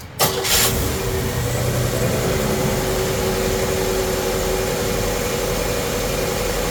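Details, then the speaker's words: Chevrolet S10 with a swapped 3.4 engine, warm day, after moving the MAP sensor to the EGR port with the EGR unplugged: catches quickly and settles into a steady, even idle with no misses or knocks. Normal start and idle. "Whole thing turns like a kitten."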